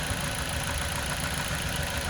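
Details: Toyota Corolla with check engine light on, weak, cutting out and using lots of fuel: uneven, lumpy idle with a recurring stumble; one cylinder is dead, and unplugging its coil connector changes nothing. Cause is a failed ignition coil.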